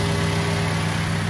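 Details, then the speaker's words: 2005 Daihatsu Xenia 1.3 Xi manual (non-VVT-i), 190,000 km, idling with the AC on and already cold. A low, even hum with no ticking or clatter, smooth at both low and high rpm. A clean, healthy idle. "Kita dengarkan suara mesinnya. RPM rendah halus, RPM tinggi halus. Kalau kita gas ya gasnya. Nah, halus ya."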